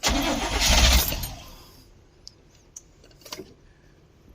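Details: 1972 Barth 30 ft dual-rear-axle motorhome, first start attempt after sitting about 15 years, no fuel pump heard. Brief cranking catches for about a second, then dies with a few ticks: cranks, catches briefly and dies.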